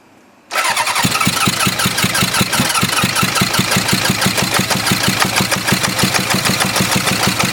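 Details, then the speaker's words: 1977 Hondamatic 750 barn-find motorcycle, spark restored after suspected kill-switch short; starts, smoking from exhaust, loud uneven chuffing idle about three beats a second; suspected running on one carburetor or cylinder, unconfirmed. "there we go he got he had it run on something one carburetor or one cylinder or something"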